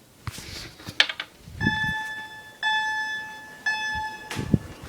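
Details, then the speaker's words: FCI 7100 2D addressable fire alarm panel with a chime and strobe: a distant smoke detector that is slow to activate finally trips, and the clean two-note chime sounds in one-second bursts with short gaps. "oh it tried to come on oh there it goes that one has some trouble activating"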